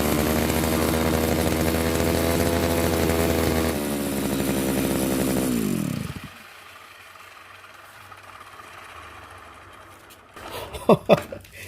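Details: Small two-stroke grass trimmer engine after a home carburetor cleaning: a steady, buzzy note holds evenly for about six seconds, then dies away when switched off. It runs normally.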